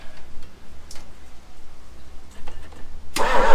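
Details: 1966 Ford Galaxie 390 big-block V8 after sitting 35 years, with plugs fitted, points seen to, the original coil and a fully charged battery; quiet uneven cranking, then it suddenly catches with a roar; a hard start that seems fuel-starved.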